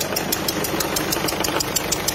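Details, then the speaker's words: Peugeot 207 SW 1.6 HDi diesel at idle: a sharp, regular tick-chuff about six times a second over the idle, compression blowing back past a failed copper injector seal. "voilà donc là un bruit qui indique et qui précise le retour de pressions du piston"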